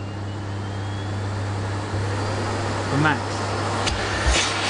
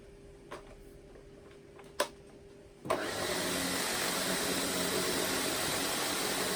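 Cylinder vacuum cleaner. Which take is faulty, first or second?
second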